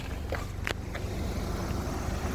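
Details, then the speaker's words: Nissan March AC check in hot weather, compressor heard from inside the cabin: an even, low engine hum with the compressor running smoothly and no growl, knock or grinding. The compressor is normal and the AC is blowing cold. "ini dia aman sih sebenarnya kalau di dalam juga udah bisa kedengaran teman-teman enggak usah dibuka e kap mesin lagi udah kedengaran kalau kompresor bermasalah dia ngorok ya"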